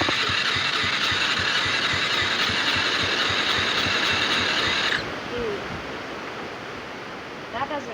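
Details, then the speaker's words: ATV quad engine that was hard to start, now running briefly on a shot of starting fluid: a harsh, rapid clatter at nearly four beats a second for about five seconds before it dies. Internal engine problem; carburetor and spark (timing checked) ruled out. "sound like it's about to break guys I'm back so I believe the last clip that you guys saw we realized that there's an internal engine problem it's not the carburetor or spark"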